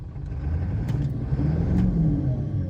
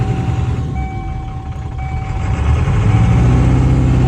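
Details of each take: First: 1997 Ford F350 7.3L Power Stroke turbo diesel after misfire repair work: gentle rev with deep, fairly even rumble, barely shaking where it previously nearly shook apart; idle still dips below 500 rpm, old IDM may need replacing later. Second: 1997 Ford F350 7.3L Powerstroke turbo diesel at about 1500 rpm shakes hard with a lumpy, skipping knock; misfire appeared after sitting over winter, stumbles at stops, injectors passed buzz test, owner suspects the IDM (injector driver module).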